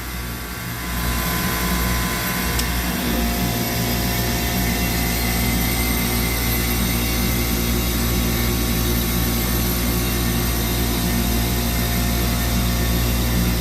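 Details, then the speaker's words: Copeland digital scroll compressor: a steady hum with a faint regular shift as the controller energises the unloader solenoid, which is normal capacity modulation. With the solenoid wire pulled, it runs at full capacity. "so yeah so you can hear this compressor and what you're hearing is this solenoid energizing and"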